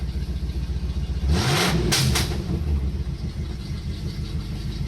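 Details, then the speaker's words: 1984 Chevy C-10 V8. Loping, stumbling idle, and a throttle blip bogs, with a heavy exhaust smell. Owner suspects an oversized carb, carbon buildup or wrong plugs; rough running, cause unconfirmed. "Kablap. Now what's that? You hear it just running for dog shit now."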